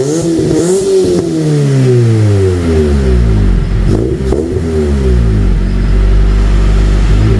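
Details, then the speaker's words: 1999 Honda Civic EK, D-series engine with cheap eBay twin loop exhaust, after swapping back to stock ECU; clean, even exhaust note rising and falling smoothly with throttle blips, no misfire, runs much happier. "If it doesn't, then it's definitely something to do with the ECU. There we go. She sounds so much happier."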